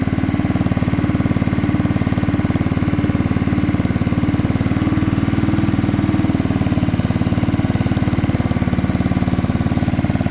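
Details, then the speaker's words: Unknown-year, unknown-brand childhood riding mower/ATV with many miles, jump-pack started on a damp morning while driven to the garage without brakes: fast uneven lumpy loping idle, barely keeping itself going; rough running, cause unknown. "So I'm going to try to get this thing started, moved into the garage. Just got a little work needs to be done to it. Barely runs."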